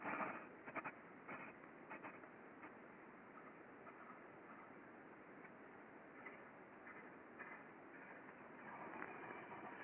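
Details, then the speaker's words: Ultrasound recording of a slow 4 RPM bearing on a roofing-material spool stand: faint, irregular metallic scraping as the shaft turns; the bearing is moving in its housing for lack of lubrication, unlike the smooth opposite bearing. "like so you can hear quite clearly that kind of scraping metallic noise as it is turning so the bearing is actually moving in the housing um there's a lack of lubrication there just doesn't sound very healthy"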